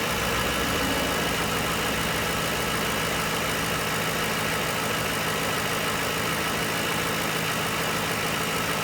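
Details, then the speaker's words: 2006 Ford Crown Victoria ex-police car, 4.6L V8, 106,975 miles, started without a key: a steady, even idle with a smooth hiss and no knocks or misses; normal idle, engine runs great. "I'll go ahead and jump in here and fire this thing up for you, and you can hear it run. As you see, we don't have a key. Fortunately, this is the non-pass lock system, so it will run without a security system. Engine runs great, no issues."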